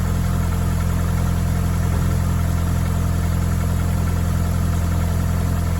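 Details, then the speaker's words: 1996-01 Hyundai 1.8/2.0 first start after throttle-body mod and intake manifold work: smooth, even idle with a steady low hum and no lifter tick, though lifters may tick until they bleed after sitting weeks; healthy. "sounds good yes it does I would just let this uh bleed like I said if yours happens to tick or anything"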